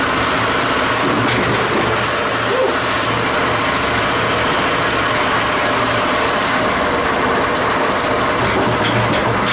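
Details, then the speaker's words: Revived tiller small single-cylinder engine, first run after hose and throttle bracket repairs: chugging at a steady, even speed with no misses, knocks, rattles or smoke; normal running. "That's running that good. It hasn't farted or complained or smoked nothing yet."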